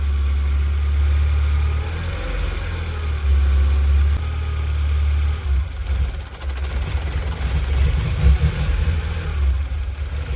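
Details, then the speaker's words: Mk2 Golf idling high, surging and misfiring, nearly stalling, after a vacuum hose was taped and resealed; with blue temperature sensor plugged in it idles high and misfires, unplugged it runs fine: faulty temperature sensor. "So I think this blue connection is some kind of temperature sensor, because, well, obviously that's the problem, because when it's plugged in it idles high and misfires and nearly dies, and when it's unplugged it runs perfectly fine."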